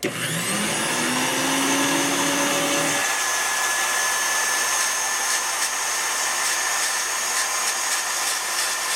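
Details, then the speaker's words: Miller Falls hand grinder motor: high whine spools up and holds steady with gritty, uneven, crunchy roughness; owner suspects bearings or brushes. "hey that noise its bearing or brushes or something going on in there well even though the brushes sound kind of crunchy or something doesn't sound so great in there"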